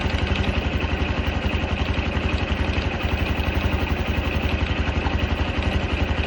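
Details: Honda Cub 110 JA44 idling: even thumping with light metallic clatter on each beat, about three per second; top-end rattle, origin unknown.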